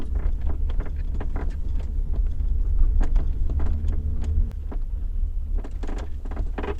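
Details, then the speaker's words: BMW X5 E53, recorded inside the luggage compartment while driving: irregular light knocks and creaks over road rumble as the upper tailgate lid fails to press tightly against the lower lid; fix planned with electrical tape. "так - мы доехали два отрезка где постоянно у меня скрипит багажнике ваш расположен в багажник и вы там послушайте все эти неприятные звуки"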